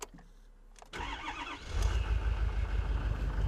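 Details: Rolled-over 2013 Ford F350 diesel, after pressing in a red button in a small window: brief crank, catches at once and settles into a deep steady idle; starts normally.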